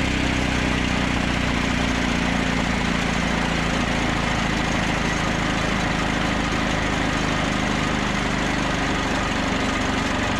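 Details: Old 2-cylinder diesel off a generator, believed Cummins, unrun for 6-8 months, started indoors in the shop: loud steady low chugging, even beat, no knocks or misses; running cleanly.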